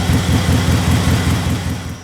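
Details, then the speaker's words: Subaru project car first started after cleaning up the wiring and intake and fixing the battery connectors; deep, lumpy idle with uneven pulses — rough idle, owner suspects a vacuum leak or the idle air control valve. "Idle was rough Maybe there is a problem with the vacuum somewhere Or the idle air control valve, something like that"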